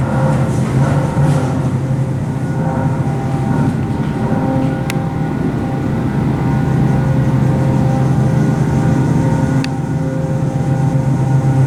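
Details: Original Montgomery hydraulic freight elevator, poorly maintained, severely low on oil: loud, steady droning pump hum with heavy rough vibration, labouring and struggling before even reaching the top floor.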